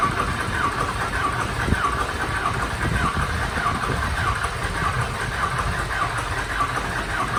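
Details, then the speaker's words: Diesel mud truck not started since February, after a fire, cranked: slow starter churn with regular chirps about every 0.6 seconds drags on without catching; extended cranking before start. "hasn't been fired since february she might take a minute oh well man this thing is just like repeat i swear"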